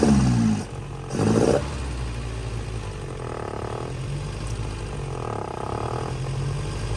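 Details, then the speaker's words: Abandoned 1966 Volvo Amazon 122 estate, first run after sitting, jump-started: low, somewhat uneven rumble with two short rev blips, then settles; running, though a lean backfire was suspected. "Alex Volvo fired right up, and we'll use the jump off that guy, and using our fancy multimeter there, sticks them together and get some numbers out of it. It's kind of neat. Listen to this sucker purr."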